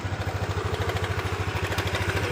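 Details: Honda Beat LED Deluxe scooter with a code 7 history, after the loose or dirty EOT sensor socket was cleaned and reconnected: steady single-cylinder idle with light mechanical chatter and nothing irregular. Normal idle.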